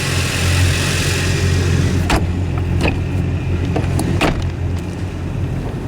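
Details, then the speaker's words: 2015 Yamaha 242 Limited S boat, both engines idling with engine hatch open, added dense insulation: low steady muffled rumble, smooth and even with faint clicks; coupler slightly less noisy, healthy idle. "all this sounds about the same you can tell a little difference in the coupler it's not quite as noisy but otherwise about the"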